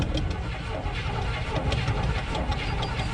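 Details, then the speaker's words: 1972 GMC 1-ton ramp truck, 454 Chevy big-block, sat about 27 years, cold morning start: engine catches and runs rough and uneven, struggling to settle into a clean idle; reluctant hard cold start, though oil pressure is good. "It's not happy."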